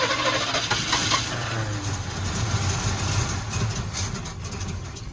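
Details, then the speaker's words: 1962 Chevy pickup, parked 20 years, cranking with both float bowls overfull and a stuck needle suspected. Uneven cranking at about two beats per second with ragged tries and no catch; the carburetor is flooding. "one thing right off the Hop I can see is the float bowls are pretty darn full so maybe there's a stuck needle in there yeah cuz this one here is definitely way over full that one's pretty high that's got to be what's going on we're flooding"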